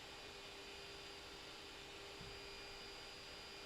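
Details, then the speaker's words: Creality Ender 3 S1 3D printer, part-cooling fan and extruder fan both at 100% during preheat: two steady high-pitched tones, one mid and one very shrill, over a soft airy rush, like a small jet; normal fan whine. "you can hear that's highly pitched noise from both fans it's like a small jet"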